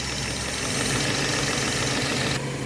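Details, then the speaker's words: 2013 Subaru XV, 66,867 km, after replacing noisy AC compressor, condenser, evaporator and drier; even steady idle with constant hiss, no knock or squeal, compressor cycling on and off normally. "คอมแอร์ตัดต่อปกติเสียงการทำงานเป็นปกติค่ะ"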